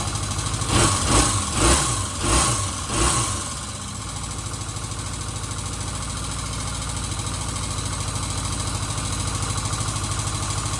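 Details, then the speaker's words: 1977 Kawasaki Z400 after carburettors refitted three times to cure vacuum leaks, restarted once cooled with choke about half on; a few quick bursts, then a smooth, steady, even idle, running okay. "So that's it. She seems to be running okay. I'm pretty happy with that."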